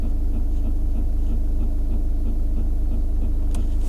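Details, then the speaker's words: Skoda Rapid, parked in a quiet spot, heard from the dashboard: steady low hum with a dry croaking tak-tak about four times a second, like a frog stuck inside; debris in the blower motor and a faulty vacuum motor. "देखो मैं dashboard य पर लेके जा रहा ऐसा लग रहा है कोई मेंडक अटका हुआ"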